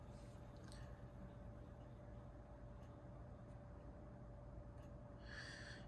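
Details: 1994 Lakewood HV-18 fan motor after cleaning and oiling bearings; quiet steady hum, one constant tone, no ticking, rubbing or grinding: normal motor running.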